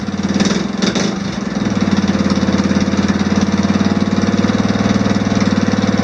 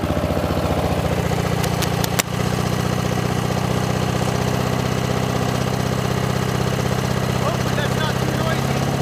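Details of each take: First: Off-road mower after swapping in an OHV single-cylinder engine with valve lash reset to spec, started unchoked: a couple of cranking bursts, then smooth, even, quiet idle with no ticking; healthy. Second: Lawn mower with swapped engine, first runs after swap, mic clipped beside intake filter at hard running: harsh, fast pulsing suck and rasp, loud and ragged; smoke appears afterward, owner thinks it still needs a catch can.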